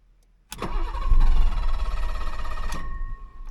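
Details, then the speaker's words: 1985 BMW 635 CSI, hot restart after a short drive: starter whirs, engine catches, runs unevenly and nearly stalls; owner suspects cold start valve or airflow meter, also wonders about fuel pump or relay, unconfirmed. "Just about kicked off that time. Might be the start valve is wrong. Something in the airflow meter business."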